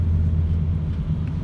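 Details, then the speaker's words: Ford C-Max 1.8 diesel after turbo repair for a whistle under hard acceleration, with oil in the intake pipes: deep, even diesel rumble pulling well from low revs through the gears, whistle gone; turbo sounds healthy, normal acceleration. "тянет хорошо даже с низов посторонних звуков которые были больше не присутствует"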